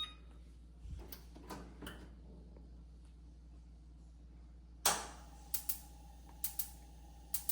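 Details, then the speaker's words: Gas oven set to bake at 475: sharp spark clicks in pairs about once a second, gas escaping and smelled, burner never catching; igniter clicking without lighting. "Gas is exiting. I hear the spark. Gas is smelled. You can smell it in the kitchen."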